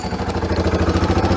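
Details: 1991 Kawasaki Bayou 300 ATV started after fresh gas and a new pull starter: steady, even single-cylinder putter at about nine beats a second, a healthy idle.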